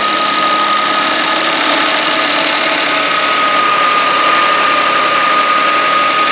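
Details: 2013 Kia Sorento AWD, 3.5 L V6, just under 80,000 miles, cold start, camera close to the belt: steady high-pitched tone over the engine noise; serpentine belt idler pulley suspected of groaning.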